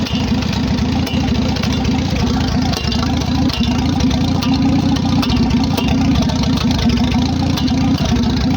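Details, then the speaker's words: Farmall H tractor after carburetor rebuild (no longer leaks), fresh oil and new proper exhaust pipe; steady, even low putter with firm regular exhaust beat, no misses or knocks; normal idle. "so yeah that's what she sounds like now that i rebuilt the carburetor i don't have to worry about running the carburetor out of gas so it don't leak anymore which is nice"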